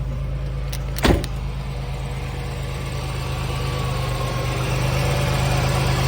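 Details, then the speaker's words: Chevy Lumina Euro with 3.1 V6, started on a weak battery: steady, even low rumble at idle after a brief knock near start, sounds healthy; some pulley whine from water pump or alternator, power steering possibly low. "sounds healthy sounds super healthy that nice rumble and all these 3.1 cars do cool wasn't expecting that"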